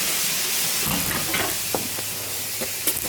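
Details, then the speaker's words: 1971 Oldsmobile 455 V8 running around 1200 rpm during tuning: steady loud hiss with sputtering pops as coolant boils past the radiator cap; owner suspects the thermostat failed stuck closed again. "The pressure in the radiator overcame the radiator cap. I bet that thermostat failed again."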